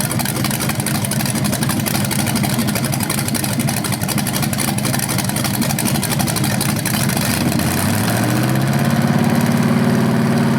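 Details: BluePrint 396 big-block crate engine for a 1970 Camaro SS, first run with headers and flywheel: strong even idle, clean smooth rise in pitch on revs; healthy, though a slightly different rev sound is noticed, unsure if headers or flywheel.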